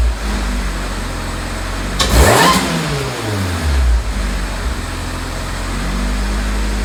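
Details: Supercharged engine with 8 lb flywheel, stage four clutch, race header, freshly heat-wrapped intake and header: fires, one sharp quick rev, clean drop to steady idle with no misses or knocks; healthy.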